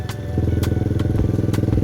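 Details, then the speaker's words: KP Mini with swapped Lifan 300cc 4-valve ZS175FMN engine and newly fitted FCR35 carburetor, back muffler baffle removed: hard, open, rapid single-cylinder thumping with raw throaty bark; louder exhaust. "I don't know if you can hear it on camera but the bike is louder because I took out a baffle"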